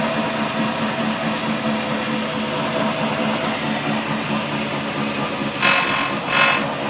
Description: quite loud noise comes from diff/drive shaft/wheel hub.